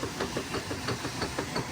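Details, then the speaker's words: Direct-drive Kenmore 600 washer (110.29622801), serviced for leaking center seals and a slipping clutch, agitating with a soft, regular knock several times a second. Slight transmission knock, considered normal. "Transmission's got a little knock to it. That's okay. Sounds like my machine at my house. Knock knock knock. That just means it's working, baby."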